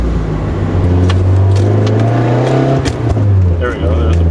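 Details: Stock Nissan 240SX with KA engine, cold, revs climbing and falling between shifts with sharp exhaust pops on closed throttle above about 3000-4000 rpm; coolant temp sensor replaced as suspected fix.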